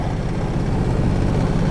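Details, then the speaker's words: 1989 Toyota Corolla that won't idle properly: heavy, uneven low rumble with a ragged knocking beat at idle, sounds like rod knock. "i don't know if you guys can hear that on camera but it really does sound like a rod knock"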